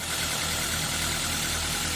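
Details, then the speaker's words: Toyota All New Avanza started after oil and oil filter change to check for leaks; smooth, even idle with a steady low hum, no knocks, ticks or misses; normal idle. "Sekarang kita coba hidupkan mesinnya. Kita cek apakah ada kebocoran"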